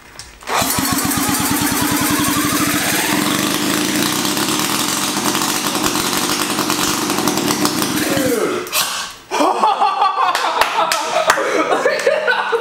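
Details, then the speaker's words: Rebuilt 1975 KC27 294cc rotary from a Hercules W2000: catches and runs rough and buzzy for about eight seconds before faltering; compression only 30 psi, owners suspect bad apex seals or a leak. "man consume terms of having low compression so we just gotten this compression tester so let's see how it does okay that yeah it's only 30 psi"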